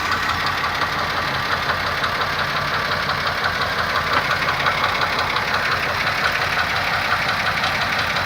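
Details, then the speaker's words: 2002 Pontiac Grand Am GT, 3.4 engine, after new spark plugs, oil and tune-up: steady idle with a sharp, regular tapping knock about three times a second over the engine note; cause unknown, owner asking what causes it. "Es un golpeteo. Quisiera saber qué es lo que le ocasiona para poder arreglarlo."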